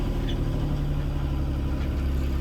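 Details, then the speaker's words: 1977 Folkes 39 steel offshore cruiser, 3QM30 30 HP freshwater-cooled diesel, about 541 hours since 2005 rebuild, dead cold start: fired first try, deep even rumble with steady low beat, no knocks or misses; normal idle. "Gotta like that. Fired right up right instantly."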